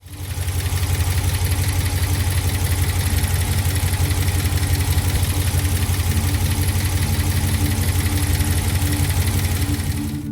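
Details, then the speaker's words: Jeep Wrangler JL 392 Hemi V8 at idle: a quick, regular ticking about three per second over the rumble. A collapsed lifter ticking in the valvetrain led to a full lifter replacement. "If you own a Hemi or an LS, this sound will scare you. This right here kept my [music] Wrangler 392 parked for weeks. And what started as a small tick turned into a full lifter replacement."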